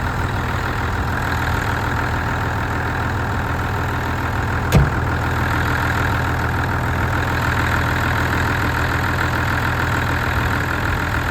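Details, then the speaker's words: Ford diesel tractor restarted after a suspected blocked fuel tap was cleared and the fuel system pulled in a lot of air; even, steady idle with a smooth low chug, no misses or knocks; normal diesel idle. "I'm quite delighted how well this sounds it's not not s like a John Deere anything it's not as near as nice as that but for this thing it sounds pretty damn good"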